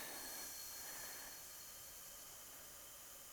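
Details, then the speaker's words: Shop air system of 1/2-inch PEX piping with drops and ceiling reel at full 110 psi: faint, steady high hiss with no rhythm; air escaping past a leaking seal, outlets not leaking. "110 psi is what we're sitting at i can definitely hear the the leak in that seal"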